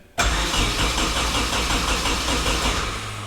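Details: KA24DET-swapped Datsun 510 wagon on a newly wired MicroSquirt ECU, first crank attempts with fuel after timing set: starter churns unevenly with a few ragged firing attempts but the engine never catches; crank, no start.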